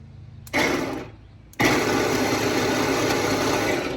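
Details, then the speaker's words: Fuel pump in LS-swapped turbo Mustang race car, tested dry out of the tank: short whir then longer buzzy, sluggish whir at seemingly slow rpm; relays checked fine, cause unknown. "it sounds like some pretty slow rpms in there but um i don't really know i guess"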